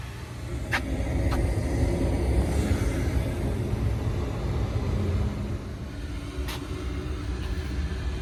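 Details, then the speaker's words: Daikin rooftop unit, two-stage gas heat, after replacing the failed gas valve (no-heat call), W1/R high and low called: steady low, even roar with no knocks or rattles; the burner section runs normally. "Check your settings. W1 and R, high and low. Gas is on, hit the power."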